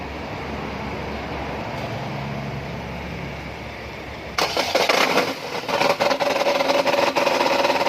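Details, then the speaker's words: Chevrolet Cruze 1.8 engine started after a quiet stretch: loud harsh rattling clatter and a steady mid-pitched ring at idle, customer's complaint of noise at the front of the engine. "ลูกค้าแจ้งเสียงดังหน้าเครื่องและเดี๋ยวก็ลองมาสตาร์ทดูนะครับว่าเสียงจะเป็นยังไงนะครับ"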